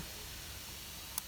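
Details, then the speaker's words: 2013 Retina MacBook Pro, Core i7, 16 GB RAM, after a fix for a failed graphics card; no SSD fitted, keyboard warm, CPU hot but GPU cool. Fans roar flat out with a steady, airy sound, no tone or rattle, and won't slow down. "Holy crap, the fan is roaring."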